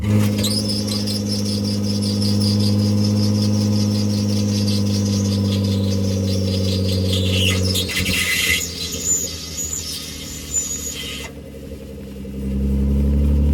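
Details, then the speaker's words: BMW E36 while driving: thin high scraping squeal pulsing about three times a second over the road drone; owner suspects the rear brake dust shields rubbing and plans to remove them, not confirmed. "So based on that footage you just saw, as crazy as it sounds, I think all of that noise is from the dust shield."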